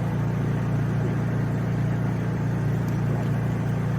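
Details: Honda EU3000is generator with cheap aftermarket Huayi carburetor, factory servo swapped onto it: low, even drone holding one steady speed with no hunting or surging; runs way better than the surging cleaned factory carb.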